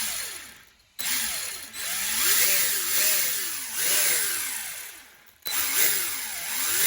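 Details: Maverick Strada XT RC car after tightening loose outdrive grub screws: smooth motor whine rising and falling with throttle blips, no clicking or skipping, front wheel drive restored and the drivetrain pulling cleanly.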